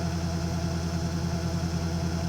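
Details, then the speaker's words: Webasto ThermoPro 90 40,000 BTU hydronic diesel furnace starting; glow plug draws about 20 A at start (about 4 A running): low steady hum with even pulsing clatter; burner is dirty, needs cleaning. "glow plug pulls about 20 amps when it starts the run amperage of the heater is about 4 amps so we'll hear it in a second now this won't start super smoothly because the dirt the burner is a little dirty"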